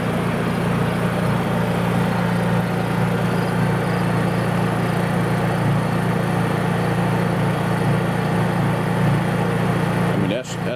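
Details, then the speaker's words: Honda EU3000is inverter generator, running at full throttle (not eco mode): steady, even constant-pitch drone, no surging, knocks or rattles; normal running. "okay y'all that is on Full trle we'll get them a little closer"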